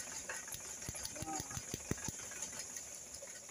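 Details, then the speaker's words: Suzuki Carry 1.0 idles rough and uneven with sharp irregular snapping clicks as spark leaks from the coil and jumps across; check the ignition path from points to plugs, typically plug wires or plugs. "Itu masalahnya ya jadi ada api loncat ke sini ya"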